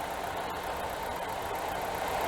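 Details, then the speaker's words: 2006 Chevy HHR 1LT, about 122,739 miles: quiet, steady idle with faint even hum, no knocking or ticking; owner says nice and quiet engine, normal idle. "if you listen to it jeepers nice and quiet engine"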